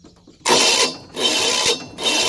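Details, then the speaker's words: Failing starter motor: three harsh half-second bursts of coarse, rasping spin with no catch or crank; play in the worn starter bushing keeps it from starting the engine. Starter motor grinding from worn bushing. "but whenever you engine phase to start due to that sound just check here of this bush guy you see that play so that place was that this guy is not a good guy to start the engine now"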